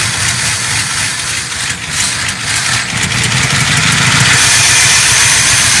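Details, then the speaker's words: Long-abandoned Ford F100 V8, possibly a 1968, revived and idling: even, steady burble with a constant beat and no knocks or misses plus some hiss; a smooth, healthy idle. "bueno está regulando se escucha nada daño sin pecar en motores serenito hermoso hermoso"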